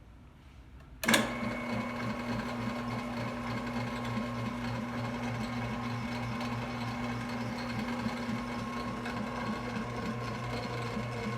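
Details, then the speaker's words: Possibly 1967 Delta/Rockwell 15-665 6 plus 6 drill press after rewiring, non-original switch and new belt: motor starts and settles to steady even hum with no thumping or slapping; much smoother than with old belt. "Sounds pretty smooth to me. It was a lot rougher when I was running the old belt on it, but with this new belt it seems to run really good, so I'm pretty happy with it."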